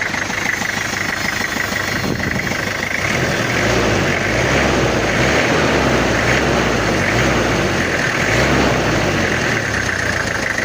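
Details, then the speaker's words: Toyota Kijang diesel after head work to fix coolant overflowing into the reservoir. Steady, even idle clatter with no knocks, misses or odd noises, and temperature is fine; normal idle. "untuk suaranya aman dan alhamdulillah enggak ada kendala temperatur aman juga"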